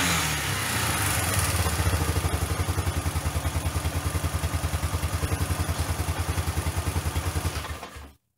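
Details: Old Kawasaki four-wheeler after rough top-end rebuild, now running off a car battery via jumper cables to fix backfiring; single cylinder thumps evenly about three and a half beats a second, strong and regular before shutting off, running clean.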